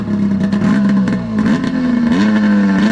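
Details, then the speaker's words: Arctic Cat F7 snowmobile two-stroke at full throttle on a test run after snuffing out on the stand and getting fresh oil-fuel mix; owner feared it was grenaded. Strong, clean high wail with brief dips between pulls; runs healthy, made it down and back. "Well, it ain't blowing up. That sounded like it was hauling the mail right there. Amazing what'll happen when you got oil in the fuel."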